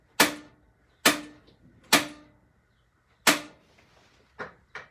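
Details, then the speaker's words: 2020 Jayco Jay Flight 38FDDS travel trailer cooktop: sharp uneven dry clicks about one a second from the spark igniter, burner not catching yet while air purges from new propane lines after testing. "The stove is a good place to clear those propane lines of air and bubbles. There you go. First couple times you light this, you might run into that because new campers, we test the propane system and"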